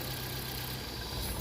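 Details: Ford Fiesta/Focus engine after repair of idle hiccups: timing was found out and corrected without replacing parts (other garage had replaced coil, plugs, throttle body); low steady hum, no hiccups, smooth even idle.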